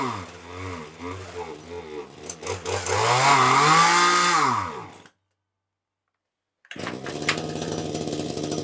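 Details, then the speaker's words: Titan hedge trimmer two-stroke, glued back together, running on a petrol mix containing some nitro/glow fuel, warming up with low tickover: high buzzing that hunts and surges instead of holding steady; runs on choke but poorly off choke. "well it seems to run right on the choke but not very well um off the choke"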